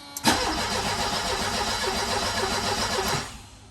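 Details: Mercedes 190E (W201) that won't start and previously caught fire, fuel pump heard running: starter spins the engine steadily for about three seconds without catching; cranks but won't fire.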